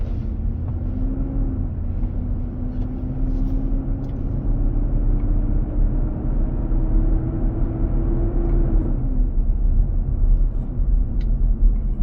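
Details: 2023 Nissan Armada, 4k+ miles, driving at about 95F inside, intermittent almost daily: loud steady roar over road noise, tone climbing then dropping. Eases at 45 mph, then returns. Dealer confirmed the fan clutch engaging to cool the engine.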